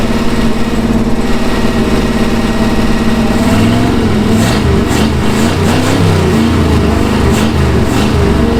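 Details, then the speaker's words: 1966 Ford Galaxie 390 big-block V8 just started after sitting 35 years, no gearbox: lumps along unevenly at idle and stumbles on light revs; rough running, not firing cleanly. "wow runs like crap but after 35 years runs wow you beauty"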